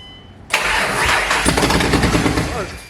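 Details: Ford Mustang first start after engine rebuild, running basically open headers: cranks and catches sharply with a loud roar, then revs sag and die within about two seconds; stall traced to mass airflow sensor.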